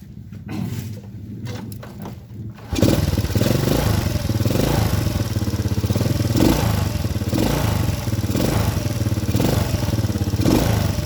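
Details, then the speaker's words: Honda Supra Grand carbureted motorcycle that keeps fouling spark plugs black: runs with a lumpy, uneven stutter instead of a clean beat; carburetor mixture too rich and wasting fuel, needle and nozzle need adjusting. "Intinya, karburatornya tidak berfungsi dengan baik, mesinnya tersendat-sendat, Pak, dan membakar terlalu banyak bahan bakar, itu benar-benar boros."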